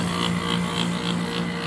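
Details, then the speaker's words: 2003 Kenmore R22 window AC as found, dirty coil; compressor trying to kick on about every 30 seconds, barely starting, low hum with faint pulsing rattle; blows air but not cold; compressor barely running, not cooling. "That compressor is on that side and it's trying to kick on every couple of 30 seconds there, man. It just barely started right now."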